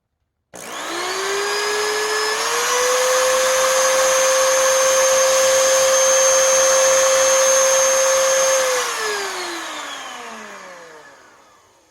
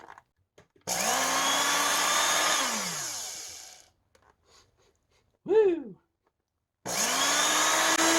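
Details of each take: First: 20-year-old Oreck XL2800 vacuum motor after bearing repack and carbon brush seating with a seating stone: it spins up to a steady, clean whine, holds evenly, then winds down smoothly with no rattle or grind. Normal motor run. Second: 20-year-old Oreck XL2800 vacuum motor after teardown and bearing repack: it winds up to a high whine and coasts down with a rough, buzzy edge. The carbon brushes are not seating on the commutator.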